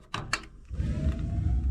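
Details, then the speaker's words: Rheem gas water heater in attic, pilot assembly sanded temporarily as pilot kept going out: couple of clicks, then soft whoosh as the burner lights into a steady low rumble; lit normally but expected to last only a day. "there you go it's lit now but like I said that's only for a day or so"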